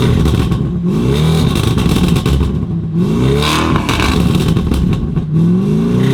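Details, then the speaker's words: Lamborghini Urus Mansory Edition with aftermarket exhaust and quad tips: deep V8 revs with metallic clatter over each blip; rattle suspected as broken muffler baffle or aggressive tune backfires, found to be a loose exhaust tip from a broken weld. "sounds like dog we're here to fix it something's rattling Muffler may be broken could be too much aggressive tunes on there too much backfires sounds like a baffle inside the muffler is broken"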